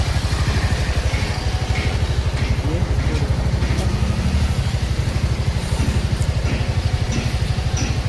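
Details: TVS XL100 BS6 moped after a full engine rebuild, in a finished test run with the throttle applied. A steady, even low putter at about three beats a second, no knocks or rattles; it runs smoothly.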